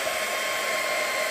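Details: Server power supply running under adjustable rheostat load around 10 A, green indicator lit, voltage steady: fan gives a steady airy rush with constant high whine, no pulsing, rattle or grinding; normal fan noise.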